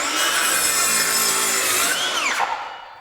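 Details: Craftsman V20 brushless 7-1/4" circular saw CMCS550B cutting lumber: steady high-pitched whine holds speed through the cut, then winds down cleanly, no bogging; normal cut under load.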